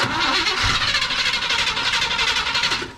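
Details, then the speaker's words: 1976 Chevy Cheyenne 4x4 pulled from the bush, first start attempts with old electric fuel pump and gas through the carb: fast rhythmic cranking about four beats a second, never catches; sounds flooded, old fuel pump suspected. "Oh, it almost sounds flooded now. Go ahead. Again. Again. Yeah, that's what it sounds like."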